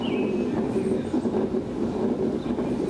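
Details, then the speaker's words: Worn mower deck spindle bearing: with belt loosened, engine off and blade-engage lever flipped, spinning the blade by hand gives a rough, continuous grinding rumble that shouldn't be heard; slight wiggle felt, bottom bearing thought worse. "you can hear that grinding noise you shouldn't hear that grinding noise"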